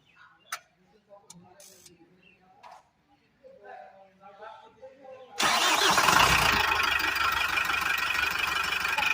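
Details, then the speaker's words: Tata 407 BS3 diesel truck after fixing pickup loss and stalling caused by a blockage: after quiet stretch cranks, catches at once, settles into steady even idle with no misses; pickup problem solved. "तो दोस्तों, अब हम गाड़ी चालू है। परीक्षण के बाद भी मैंने एक नज़र भर देखा। हमारी पिकअप समस्या स्पष्ट है।"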